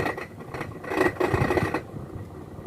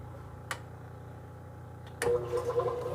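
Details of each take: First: Washing machine that won't drain, during spin: irregular rattling knocks from a broken piece loose in the drain pump, not the bearings or mechanism. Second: Washing machine on spin cycle, after repairing a strange noise during spin that was not the bearings or the mechanism: quiet, steady low hum with no grinding or rattling, only a couple of handling clicks.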